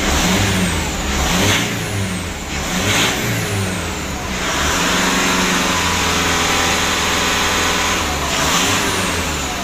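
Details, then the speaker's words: 2012 Mitsubishi Pajero Sport Dakar: the turbo had been removed, cleaned and refitted. Revved several times, the engine blips and falls back cleanly with a smooth turbo whistle. The earlier rattling (kemrecek) turbo noise is gone, so the turbo is now normal. "untuk suara turbonya sudah tidak Berisik lagi ya gitu Yang Lalu kalau dikasih itu suaranya kemrecek gitu loh di turbonya ya Jadi untuk suara turunnya sudah bagus sekali"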